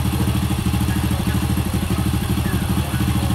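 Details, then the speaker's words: Honda Supra motorcycle after cam chain roller and sprocket replacement: small single idling smooth with quick slightly uneven exhaust popping, two to three beats a second; characteristic of this model, not a fault. "halus ya cuma ciri khas daripada motor ini yaitu kayak ada suara sering-sering seperti itulah beda sama Grand sama legenda ya rasanya itu di knalpot ada suara yang sering-sering gitu"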